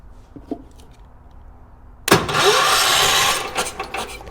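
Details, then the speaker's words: 1980s ORVCO Transtrack UTV, points cleaned of white corrosion: a loud, rough starter whirr churns unevenly for about 1.5 seconds and never catches, with no spark at the points. The coil and condenser test within spec, and the starter motor is very noisy. "All right. And check for spark at the same time. Nothing."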